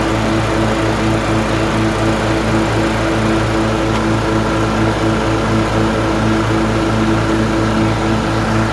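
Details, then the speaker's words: LT1040 riding mower after valve cover gasket reseal with silicone and pulley replacement: steady even drone with constant low beat, no misses or surging, smoke gone; running smoothly. "so let me start it up and show you the smoke is gone and the pulley works"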